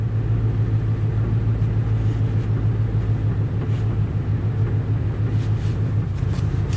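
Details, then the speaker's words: Auction Ford Explorer running rough after sitting: uneven lumpy rumble surging and dipping at idle; scanner shows system failure, bad O2 sensor readings, throttle at 19; owner suspects throttle position sensor; valve cover leaking, toasty smell. "oh yeah you can hear some it's like really pissed off"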